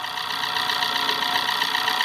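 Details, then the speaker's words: 2012 Chery QQ at idle: fast light ticking over an even idle from the top of the engine, cylinder head, growing louder as the engine warms; likely loose valve clearance, valve cover to be replaced. "outra coisa também aqui importante de acordo com o olho vai esquentando o vai aumentando o barulho aqui também Bom dia da parte superior do motor tá o cabeçote"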